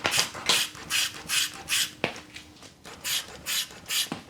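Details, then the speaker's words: Emove Cruiser v2 electric scooter, rear suspension after spring preload tightened 3–4 turns, bounced on: soft rhythmic rubbing swish about two per second, no clank or knock; working quietly. "what suspension's supposed to sound like, not some clanky mess. So like I said, I feel like that's pretty good."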